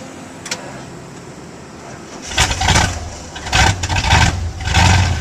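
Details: Old "Sally" with a weak battery, boosted from "old Red" after pumping the gas: quiet, then it catches after two seconds and rises in three strong rev bursts. A good start and rev.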